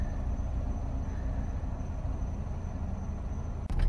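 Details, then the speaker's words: Stalling $600 Chevrolet Cavalier convertible starts right up and holds a low, steady, even idle. This is after throttle body and mass airflow cleaning and an air filter change; normal idle. "it's gonna send the car haywire she actually started right up pretty nicely"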